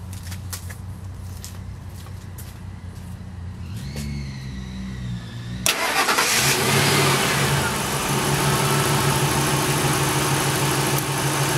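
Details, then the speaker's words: Engine cranked without touching the accelerator during idle air control valve test: catches, RPM flares up as the PCM opens the IAC for extra air, then holds a steady even idle; normal cold start idle flare, IAC working. "maybe rewind it and you'll hear that the actually jumped an RPM and went that is what the PCM does to allow additional air to have the car start"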